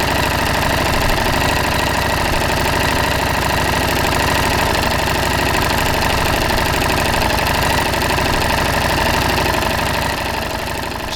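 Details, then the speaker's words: 2018 Harley-Davidson Street Rod 750, DOHC twin with cam chain, 12:1 compression, about 400–500 km; idling steadily with a light, fast metallic clatter over the low thump, already noticeable cam chain noise. "但是，凸轮链的声音现在为500公里我什至没有骑车，但是我能听到很多凸轮链的声音。"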